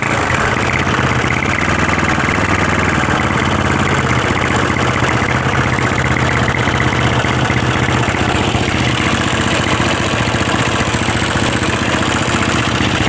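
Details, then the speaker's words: Honda CB/GL motorcycle, top-end rough ticking from the left side after valves were recently adjusted: fast steady rattle at idle that gets louder when revved; worn camshaft and rocker arms found. "di bagian atasnya ada suara-suara kasar gitu ya dari sebelah kiri kita kalau kita gas rasanya gimana coba kalau kita gas malah kayak suaranya itu tambah Ya tambah kenceng"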